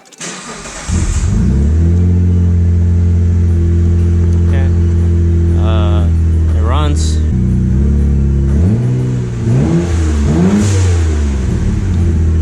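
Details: Mitsubishi Galant VR4 after the spark plugs were gapped and refitted, started and idling: steady idle with a faintly uneven beat and a couple of blips; a slight misfire remains.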